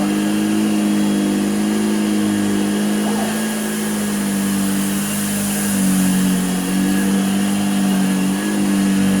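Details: Hoover Junior U1034 Exclusive, found unused for decades, switched on with a slightly slack belt: a steady mid-pitched motor hum with slight speed wavering and no grinding or rattle; runs smoothly but is dry, needing lubrication, brush roll bearings and a belt.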